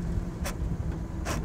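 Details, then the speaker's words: 77-year-old Willys Jeep first drive, slow speed: low drivetrain rumble with two harsh crunches downshifting into second without double-clutching; worn transmission synchro rings. "it does not like it that's double D clutching there so you know we got a problem with those synchro they should do that easily"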